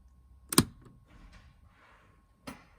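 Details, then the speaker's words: Legacy Truma heating and hot water system switched on with cowl cover still fitted, so it shuts itself off: one sharp loud click as the gas valve opens, then a softer click about two seconds later when the red light comes on; normal gas shut-off clicks. "that loud click is perfectly normal and that is just the gas shutting itself off"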